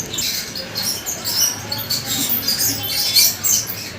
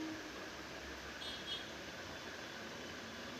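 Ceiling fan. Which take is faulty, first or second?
first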